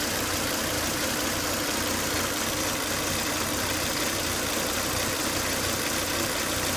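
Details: Volvo S80 2.5T with high intake vacuum (oil cap sucks air hard), noise starts after 10-20 minutes running: steady idle with a constant hissing whine, from a failed crankcase breather, fixed by replacing the breather box/filter.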